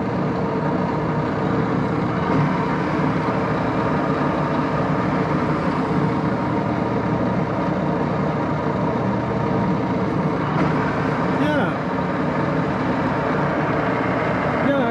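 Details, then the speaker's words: 1941 Axelson 24-speed lathe, idle up to five years, headstock oil circulating, high range near 800–1000 rpm (top 1127): steady even mechanical hum, no knocks, grinding or rising whine; headstock healthy. "okay that's high speed build i don't think it's the fastest but it's getting close to a thousand the fastest is um 1127."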